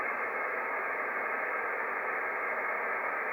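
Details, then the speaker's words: Icom IC-7300 transceiver with the antenna fully disconnected and RF gain at max: steady, even hiss cut off sharply above the audio band, the set's own internal receiver noise, unaffected by turning RF gain down or the attenuator. "the the weird thing is that uh this noise is not affected by any reduction in the in the RF game"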